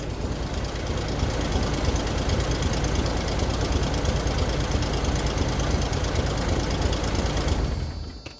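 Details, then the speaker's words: Old Toyota Hilux DLX pickup running for the first time after about a decade sitting, with old fuel in the rail. Loud, uneven running with a rapid puffing tick about three times a second. Rough running; owner suspects an exhaust leak near the cat. "Sounds like I got an exhaust leak around the cat somewheres."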